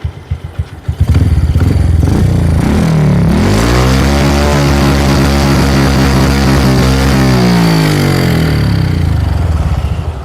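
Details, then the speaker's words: Yamaha Jupiter Z (old) / Vega R New with fairly new carburetor: idles normally, then on throttle revs hang and burble around mid RPM (40–60) instead of climbing; runs better with the air filter rubber removed; mid-RPM stumble blamed on the carburetor. "Sepeda motor jenis Yamaha Jupiter Jet Lama atau PR New sejenisnya. mengalami ngorok saat RPM tengah 40 ataupun 60 tidak bisa lepas ya seperti ini."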